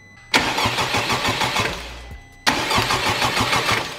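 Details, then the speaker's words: Wrecked 2021 Honda Civic Type R after its first start during the rebuild, with broken motor mounts and a holed oil pan. There are two even two-second cranking bursts and the engine never catches. Owner feels he tripped something, possibly the ECU, not confirmed. "it just cranks for like two seconds I have a feeling I tripped something though"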